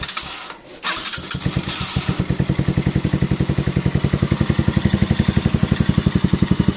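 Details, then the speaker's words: Keeway CR152 single, 2,000 km, stock carb with untouched jet and bullet pipe, before Nibbi 28mm install: settles after start into a quick steady idle near 230 pulses a minute, too high; backfires and diesel pops, suspected bad idle setting. "So kung naririnig ninyo masyadong mataas yung idle, siguro nagka-problema sila sa sa minor nya kasi stock pa to lahat."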